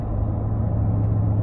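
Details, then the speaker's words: BMW E31 cruising at light throttle: deep droning boom, whole car vibrating, felt through floor not steering wheel; attributed to the road surface, not drivetrain. "and it's back you must be able to hear that that's booming the whole car's vibrating now yeah you can see it through the chassis of the car i can feel it through my feet can't feel it through the steering wheel"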